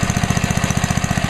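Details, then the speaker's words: 43-year-old 1971 Trim-All lawn edger single-cylinder engine, just started on choke at part throttle: quick regular firing beat around twelve pulses a second, even and unbroken; running healthily. "Being that it's 43 years old, that thing just runs excellent."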